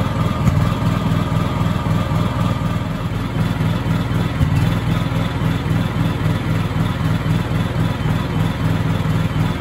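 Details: Honda EU7000is generator with GenConnex conversion kit running on natural gas at about 700 VA load: uneven lumpy beat with stumbles, shaking the whole generator and backfiring repeatedly; runs worse with no load. Rough running with backfires.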